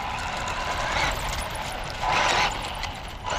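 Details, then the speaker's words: Tamiya Bigwig RC car driving: sharp high squeals in bursts about once a second over the motor whir; owner thinks the front needs raising with spacers and worries about the steering rack. "A lot of squeaking going on with this car."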